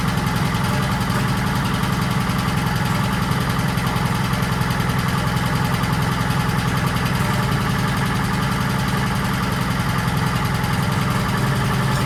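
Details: 1940s Allis Chalmers D5/HD5 crawler with two-stroke Detroit 271 diesel, first start after many years retired: steady low rumble, even firing pulses about three a second at idle; gauge not working, smokes, owner suspects problem injector.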